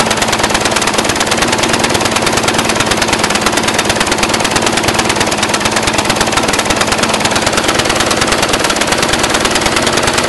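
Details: Brand-new Briggs & Stratton 450 lawn mower, under 2 hours' use: harsh rapid popping idle, about three slightly uneven beats a second, speed unchanging. Black smoke, sooty plug, throttle has no effect; smoother tipped back. Rough idle, cause unknown.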